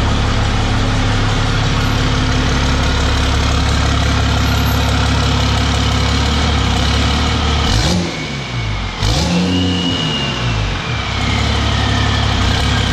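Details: 1000 hp 6.7 Cummins Dodge Ram drag truck after tightening loose flex plate/converter bolts, warming up: smooth, steady diesel idle with a couple of clean throttle blips near eight seconds, no rattle or knock; normal idle.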